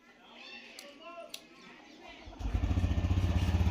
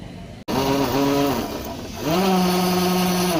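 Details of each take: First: TVS Raider BS6 motorcycle after an engine rebuild; before, the self-starter failed to start it, with excessive noise and a crank sound. Now the starter spins cleanly and the single idles with an even, steady thump, with no knocks or rattles. Smooth, healthy start and idle. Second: TVS Raider BS6 motorcycle on the self-starter: a harsh whirring rattle rises and holds while the engine fails to start, with excessive noise and a reported crank sound.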